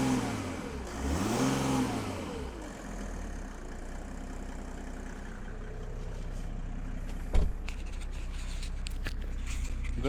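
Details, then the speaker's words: Donor diesel engine in a car bought for a Land Rover build, dealer-maintained with oil changes: starter whirs, engine catches and settles into a steady even idle with soft clatter; healthy start, slight rasp when cold. "it sounds really good um a little bit dies when it's cold a little bit you know the the diesel rasp in the cold but once it's warmed up it does sound really good"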